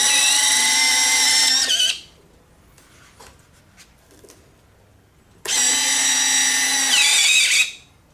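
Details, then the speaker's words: FMS 70mm EDF F-16C RC jet retractable gear on 6S 3300 LiPo: two bursts of high electric whine about two seconds each, pitch sagging as linkage rubs hard on cover, straining gear; later eased with clearance fix. "the linkage is rubbing the um cover so I'm not quite sure what I'm going to do with that yet I might have to make a clearance hole or something cuz it's rubbing pretty hard right there which makes the gear kind of struggle on steering and going"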